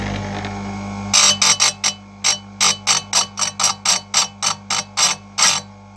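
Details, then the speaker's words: Electric chainsaw chain sharpener lowered with only slight resistance onto each tooth: short, even light scraping bursts about three a second over a steady motor hum; that light scratch is enough; normal chain sharpening. "il faut sentir une petite résistance quand vous descendez votre votre aphteuse mais légère vraiment légère [Musique] voilà il faut entendre ça on entend ça ça gratte ça suffit et là on y va"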